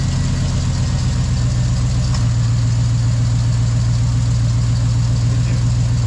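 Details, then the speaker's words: 2005 GMC Yukon V8 idling with new Flashark headers: steady idle with an uneven low puffing pulse a couple of times per second, an exhaust leak at the header collector; the owner thinks it needs the donut and flat gasket together. "Sounds like it. Yeah, she's leaking. So I didn't understand this side because it has the donut."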